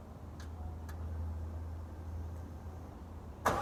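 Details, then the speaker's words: C5 Corvette V8 cold start: steady low rumble holding evenly with no knocks or misses, settling into a smooth cold idle; normal. "good morning and what's up the c5 is back we're gonna do a cold start video for you guys"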